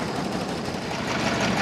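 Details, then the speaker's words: 1929 Ford Model AA Express truck four-cylinder, first runs after 30+ years sitting, restarted easily: idle slightly lumpy and uneven under busy clatter; owner unsure if cylinder number 4 is firing yet. "So I brought it down to idle here and it's starting to sound pretty good. Not sure if number 4 is coming around on us or not"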